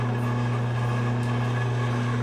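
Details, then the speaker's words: Big bevel gears at 45 RPM after mounting distance increased to 2.42 (about 8 thou over design), light finger load: slow steady low hum, no knocking or grinding; normal quiet gear mesh. "that's running at 45 RPM so that's not very fast but I can't hear that I can put a little bit of load on it with my fingers or can't really hear that so that actually sounds quite a bit better which to me means that I had the mounting distance set a little too small"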